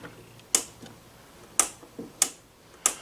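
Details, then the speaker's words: On-off switch of a novelty Audio-Vista radio with a badly deteriorated frame, first look: four crisp, sharp clicks about a second apart, each a clean snap with no crackle; the switch works properly. "the switch sounds like it works good. Let's widen out. The on-off switch, like on the other one, sounds good."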